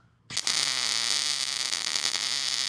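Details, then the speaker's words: Millermatic 211 MIG welder, ER70S-6 .030 wire, push technique on practice coupons: arc hiss broken by irregular crackles and pops; wire speed likely too fast or heat too low, hotter setting welded better. "So, that doesn't look too bad, but in my opinion, the wire speed is too fast or it's not hot enough."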